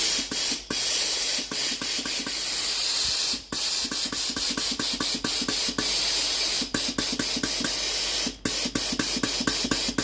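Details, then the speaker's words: Philips PSG8040 steam iron after board repair (wouldn't turn on); water pump running, sharp even hissing steam bursts with short pauses; steam output now normal. "La machine peut maintenant être utilisée normalement. Ensuite la vapeur sort normalement."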